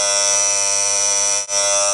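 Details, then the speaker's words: Williams Full House EM pinball Dealer coil just replaced (Z28-1200 in place of Z28-1150): loud, steady harsh raspy buzz with brief drop-out, louder than the old coil; removing spring pressure didn't stop it. "New coil's in and it's a lot louder, so I'll have to sort that out."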